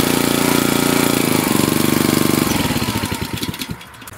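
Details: Wood splitter Honda engine, sat 5 to 10 years, after carburetor replacement (Honda 16100-Z1A-802): quick even firing pulses slowing and bogging as the splitter takes the load, no misses or knock; pulling properly.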